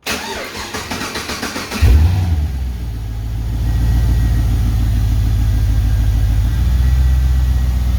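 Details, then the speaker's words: LS1 V8 from a 2004 Holden Caprice, 172,000 km, on a run stand with a 4L60E attached: starter cranks about two seconds, catches cleanly and settles into a smooth idle with a throaty rumble, injector ticking and slight fuel pump noise. "And you can hear it start up. Bit noisy around the fuel pump area, but not over the top. Engine's nice and quiet. You just hear the injectors ticking away. Nice little throaty rumble."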